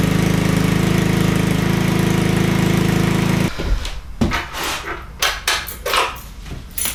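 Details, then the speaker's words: Honda Ruckus (GY6) scooter, sat 2–3 days, battery charged: starter whirs about 3.5 s without catching, then clicks and fumbles; hard starting, cause not confirmed, usually restarts faster once ridden. "now I'm going to show you it takes like a couple tries for it to start see and do you hear it kind of wanting to engage"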